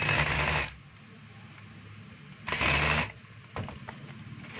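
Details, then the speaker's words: DeWalt DWE8300S 4-inch angle grinder test run after repair: the earlier noise came from the bearing, and now a smooth, steady high whir spins up and down cleanly with no grinding or rattle; it runs normally. "So wala na po yung ingay niya mga kabay dahil lang po yung sa bearing. Kaya maingay po."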